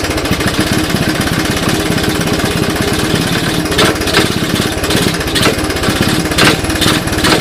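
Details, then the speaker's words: 1981 Honda ATC 185S on first start-up with CDI ignition, clone carb and portable 12V supply: rapid single-cylinder putter with sharp irregular clunks about every half second when put in gear; chain or rear end seized, cause not found. "so i don't know did you guys hear that clunking in there she didn't sound very good didn't sound good at all"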